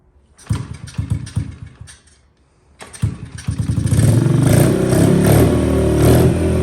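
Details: 2003 Honda XR50 with carburetor freshly set up and adjusted: a few quick cranking bursts, a pause, then it catches and settles into a crisp, steady single-cylinder idle; starts and runs healthy.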